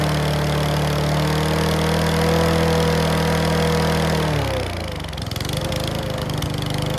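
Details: Mountfield V35 150cc (HP414, 38cm cut) lawn mower, throttle cable not yet fitted: runs steady, then revs sag with uneven popping and clacking; owner thinks the carb needle needs sorting.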